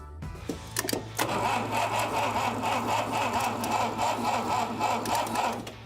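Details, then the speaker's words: Abandoned 1960 Mercedes-Benz 190B engine under restoration, start attempt after brief repairs: steady starter cranking about four pulses a second for several seconds with no catch; cranks but won't fire. "Yet another failed start."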